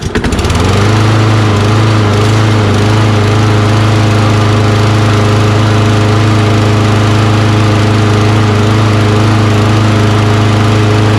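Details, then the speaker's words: Toro Recycler mower with Kohler XT675 engine, hot, after carburetor cleaning and old fuel injector cleaner added to bad gas: fires up and holds a steady, even drone without surging; still hard to start. Normal running. "a little bit of old fuel injector cleaner rejuvenated that fuel a little bit and let it run a little better"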